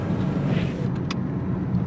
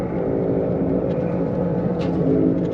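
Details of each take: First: 2011 Chevrolet Malibu LT, 152,982 miles, slow test drive after repair: steady low road rumble with a few light rattles; the customer's helicopter-like grinding and buzzing noise is gone. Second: 2011 Chevrolet Malibu LT, 152,982 miles, driving about 34 mph: steady low helicopter-like droning hum that changes pitch when side-loaded by steering; likely left front wheel bearing.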